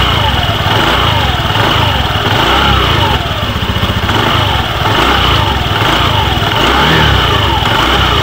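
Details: Honda Beat FI v2 scooter idling, steady loud run with a rough chattering rattle from the CVT belt side that persists after new drive parts; owner blames a worn crank bearing/bushing.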